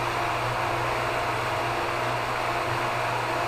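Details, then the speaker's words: Hot tub pump in pump room while draining the tub on backwash: constant airy hum with faint steady tone, no surging, rattling or grinding; pump running normally before its sound changes. "Then you're going to wait for a change in the sound of the pump."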